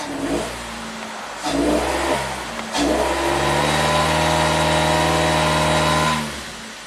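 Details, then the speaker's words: 2008 Suzuki SX4 with low power, idling happily with a third of a tank of fuel: revs climb from idle and flatten, hitting a wall near 2,000 rpm; it struggles past 2,000 though it can reach 4,000. Owner suspects back pressure. "it'll get up to 4,000 RPM, but it struggles to get past 2,000 and then it kind of revs up."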